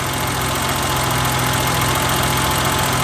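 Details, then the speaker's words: 1990 BMW E30 325i first cold start after maintenance, new distributor cap and rotor and cleaned intake tract: steady even idle with no surge; previous idle surge gone, healthy. "but it sounds really good. Really good idle for a cold start."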